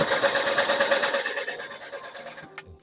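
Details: ZX-brand small motorbike sitting a long time, won't start: starter spins engine evenly about three beats a second but never catches.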